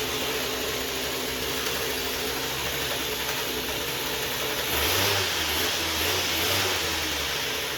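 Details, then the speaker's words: 2007 Ryobi RY60520 25.4cc two-stroke rototiller, rescued from the dump, started with choke at full throttle: small two-stroke buzzing high and steady, holding speed without dropping out; normal running. "And here we go. Run. Yeah, it's got a nice idle."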